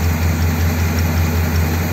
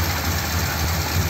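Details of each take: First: 1957 Ford Thunderbird V8 with the original carb parts refitted, despite fouled plugs: steady, low idle with a gentle, even lope and no misses or knocks; the best it has run for ages. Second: 1957 Ford Thunderbird with original carburetor parts refitted, flooding issues and fouled plugs; low idle with uneven, lumpy beat and dropped pulses, sounds like a cylinder missing; cause suspected, not confirmed.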